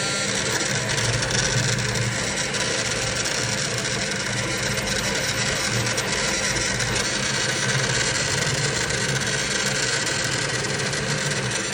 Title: Bad bearing on model fan brand new centauri